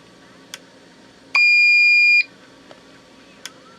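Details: Old APC Back-UPS 500 that had a bad battery, test button pressed after reconnecting and rechecking the battery: one clean, steady high-pitched beep lasting about a second, then quiet. Self-test sounds normal.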